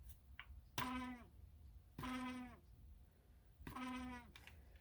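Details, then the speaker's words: Vintage USA-made Lasko fan: three short high squeals about a second and a half apart, each sliding down in pitch, as the small motor labours; owner checks shaft play and suspects something out of balance. "a lot of these fan oh listen to that oh come on that's annoying"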